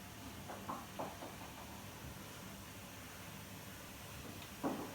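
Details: Samsung washing machine: occasional dull thumps from the drum, knock appeared a year ago after spider (crosspiece) replacement and has grown slightly; owner suspects bearings, cause unclear.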